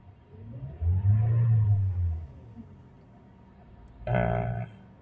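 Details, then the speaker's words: Toyota/Daihatsu with 1NR engine, DTC P0172 system too rich bank 1: two throttle blips where the engine surges dully but won't climb in pitch, hesitating; mixture too rich. "ini intinya sistem bahan bakar terlalu gemuk atau boros ya Ya ini tapi mobilnya cenderung tidak mau digas atau"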